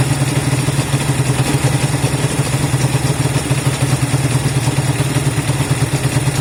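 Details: Honda CB200 twin idling after first start in many months of storage: even quick exhaust pulses, no misses or knocks; running cleanly, normal idle.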